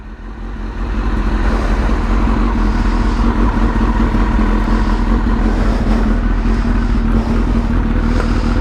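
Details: Suzuki GSX-R motorcycle: catches within a second, then settles into a strong, even run with steady low drone; no misfire or knock.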